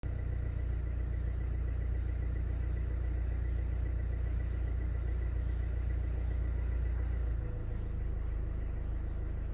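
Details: 2016 Hyundai Tucson 1.7 CRDi diesel idling with deep rumble and light steady tick about three per second, more audible after revving; also drops from 3000 to 2500 rpm when revved stationary; cause unknown.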